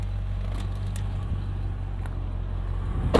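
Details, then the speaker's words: 2000 Mercedes-Benz ML55 AMG idling in park: low, even, steady rumble with no misses, yet in gear it has no power under throttle. Owner suspects wiring, a bad throttle body or a throttle disconnect. "as you can hear it runs just fine but as you saw once you put it in gear give it some throttle nothing happens"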